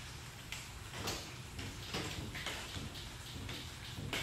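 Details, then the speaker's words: 2009 Toyota Tacoma, 318,000 miles, on a lift: dull knocks about twice a second as one front wheel is rocked, showing play; suspected upper ball joint rather than wheel bearing, not confirmed. "do you hear that knock this one has a play definitely i hope you heard it and you can be doing diagnostic with me too"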